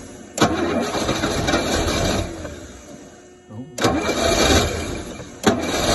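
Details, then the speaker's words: Rolls-Royce Silver Shadow, cold day, after fuel pump rebuild, fuel drain, points and plugs, carb pistons freed: engine catches and surges roughly but won't rev, sagging back; owner suspects blocked bowl-to-jet passages or debris in carbs. "doesn't want to do any more than that I'm afraid okay so I think maybe the tubes underneath here are blocked up that go from the bowl to the jet"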